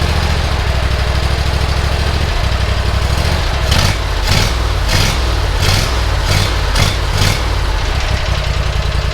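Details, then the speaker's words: Bush Hog zero-turn mower engine after carburetor and engine work: catches and holds a steady, even low idle with a few light throttle blips, carburetor working well; normal start and idle. "that sounds great carburetor works perfect oh perfect"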